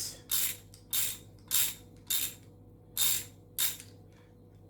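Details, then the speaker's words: Repaired old ratchet, tightening a bolt with a socket: crisp bursts of fine clicking with each swing, about one every half second, locking cleanly; normal ratchet clicking. "you can hear it clicking i love the clicks very fine and what works well"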